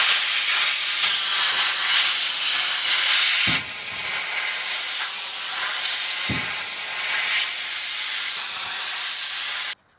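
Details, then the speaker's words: Air compressor tank drain opened after moisture came out of the air nailer and water was heard inside: loud, hard hiss in long bursts cutting off sharply as air purges the water; moisture in compressor tank. "And he said I should drain my compressor. And I did notice after he said that, like, I probably should drain the compressor because I can actually hear the water inside of it."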